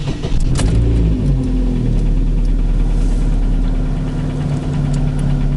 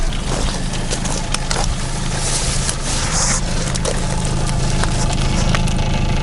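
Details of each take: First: Chevrolet Cruze petrol engine, 239,000 km, idling: dull uneven knock under the running note, piston slap at piston reversal from a chipped-off piece of piston skirt; bore hone good, no scoring. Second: Chevrolet Cruze Z18 engine, 239,000 km, after budget repair of piston knock with standard pistons fitted: engine catches and settles into a steady, even idle with no knocking from the bottom end, running smooth and healthy.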